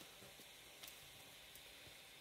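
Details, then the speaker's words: Raspberry Pi 4 cooling fan switched to 5 V pins instead of 3.3 V: steady airy hiss with thin high whine, much louder at full speed, better cooling but too noisy. "escucháis como grabadas cinco guardas voltios se escucha bastante más potente vale hacer muchísimo más ruido"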